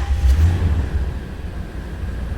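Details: 2008 Toyota Tundra after alternator replacement, battery on trickle charge: engine catches with a low surge and settles into a steady, smooth low idle, afterwards charging at 13.9 V. Normal start and idle.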